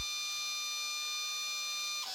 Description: Apollo DIC C5 machine, multisampler valve making screeching sound at when initialized and switching inputs when running "Clean Valve" in software